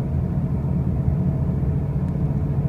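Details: 2005 Pontiac Grand Prix with brand-new wheel bearings and new tires, while driving: a deep, steady droning rumble with no clear knock or whine; loud road noise of unknown origin.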